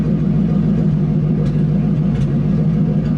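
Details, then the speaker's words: Ford Mustang engine idling, lumpy rumble with sharp isolated pop/click about every second; intermittent misfire confirmed while scanning, scanner predicting ignition coils and spark plugs needing replacement. "Yeah, that that pop/click that I'm getting every now and then. Just listening here. Yep, there it goes."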